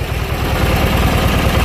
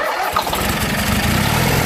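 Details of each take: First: Junkyard Briggs & Stratton opposed twin running on one breather despite pushing out oil; brief steady low thrum, even pulse, no skips, both cylinders firing; normal smooth idle. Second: Junkyard Briggs & Stratton opposed twin just reassembled with valves corrected, run on ether with no fuel hooked up, smoking from ether and oil; runs rough and loud, speed surging up at idle; governor suspected not right, unconfirmed.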